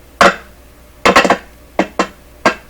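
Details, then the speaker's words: Clairtone console stereo receiver with one dead channel, signal tracing across transistor terminals: sharp isolated pops and click clusters as the probe touches each point, from DC voltages charging the tracer probe. "So the big clicks and pops are from DC voltages sitting on here, and I'm charging this thing up each time I touch it."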